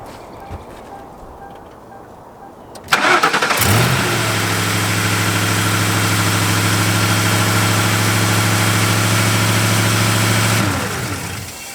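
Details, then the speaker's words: 2003–2011 Ford Crown Victoria/Grand Marquis started briefly with the serpentine belt removed: cranks, catches and settles into a smooth even idle with no grinding or whirring, showing the noise is in the belt drive. "Now she should sound quiet, obviously, because there's nothing spinning that's grinding."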